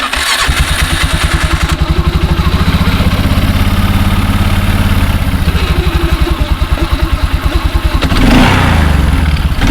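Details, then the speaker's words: 2004 Polaris Sportsman 400 after belt replacement, in neutral with parking brake set: catches quickly, settles to an even pulsing idle, revs cleanly on throttle blips; clutch and new belt sound healthy. "just fire it up give the throttle a couple of blips in neutral and make sure that the clutch and belt and everything is functioning as it should"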